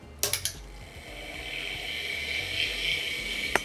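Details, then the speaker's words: Hard drive on an A2090a controller in an Amiga A2000: quick burst of sharp clicks, a high whir and another click while the computer keeps rebooting; drive heads suspected to have failed, not confirmed. "mmm that thing is quite noisy and it sounds like the head is I think it might have given up"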